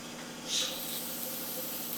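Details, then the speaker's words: CAT 3406B-engined Kenworth K100 cabover, undriven for 25 years, first start: once the brake air system is charged, a steady loud high hiss of compressed air leaks from the brake lines; the brake pedal still works and the leak's cause is unknown. "okay so that side is charged you can hear it leaking now"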